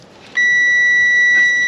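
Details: 1994 Pontiac Trans Am GT ignition control module plug, black ground wire checked with a multimeter: clean, steady high beep of about 1.5 seconds showing continuity, so the ground is good.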